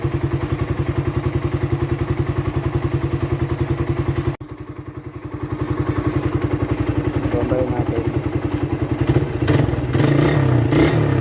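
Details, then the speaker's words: Raider 150 carb motorcycle, warm engine: quick steady tapping over the single-cylinder idle that picks up with revs; a top-end tick from the head, silent when cold, cause unknown. "kasi bakit ganon pagka malamig tahimik naman siya kapagka uminit na siya ung maiinit na talagaa siya ayan kumakalas na siya ng ganyan"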